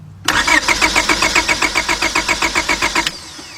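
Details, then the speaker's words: 2002 Honda Accord 2.3 that lost power while driving and shut down: the starter whirs at about four compressions a second for three seconds and the engine never fires. Cranks but no start. "then go ahead and crank it cranks but no start so we're gonna find out what the heck is going on"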